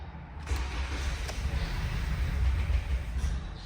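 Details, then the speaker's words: 2018 Toyota Camry, crash-damaged with replaced engine, previously cranking with no start. After repairing cut wiring and clearing codes, with the intake boot still off, it catches at once and settles into a steady low rumble; normal start. "نحن بس اللي علينا انه نشغل السياره اشتغلت تمام اشتغلت السياره"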